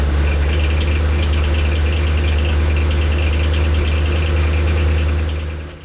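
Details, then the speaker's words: Maserati 3200 GT twin-turbo V8 during renovation idling steadily with a light, fast ticking about four times a second from the cylinder head area; noise lessens as the engine warms, so valve clearance is suspected, not confirmed; top-end ticking. "Tôi không biết những tiếng động này là gì, bây giờ tôi không cố hiểu nữa. Tôi nghĩ tốt, chúng ta sẽ nói rằng nói chuyện mệt mỏi nhưng trong một cách thực tế hơn thì xe càng nóng và chúng ta càng ít nghe thấy tiếng ồn nên có thể nó đến từ khe hở van"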